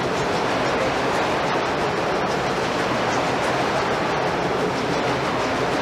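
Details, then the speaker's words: Historic gold-mine ball mill at South Pass City, a slowly turning drum holding roughly 4000 pounds of 2 to 3 inch steel balls: steady, even roar of tumbling balls, no knocks or surges; normal grinding. "okay now what we were just hearing was those ball bearings that are probably 3 inches around 2 inches around 2 and 1/2 a pretty good size too big to hold in the palm of your hand"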